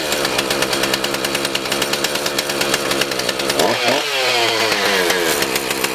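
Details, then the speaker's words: Husqvarna 450 X-Torq chainsaw after carb diaphragm, primer bulb, fuel line, filter, rope rotor and spark plug repair: crisp even idle, blips cleanly to a high scream and drops back without stumbling; runs normally. "now we're going to fire the unit up and see if the run the unit of run and we're going to look for a couple things we're going to make sure the unit of throttle up"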